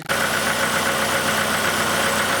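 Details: 1991 Oldsmobile Cutlass Calais 2.3L Quad 4 DOHC after shorted injector repair for misfire, warmed up: even idle with usual light Quad 4 knocking clatter, no stumbles or dropouts; no longer misfiring.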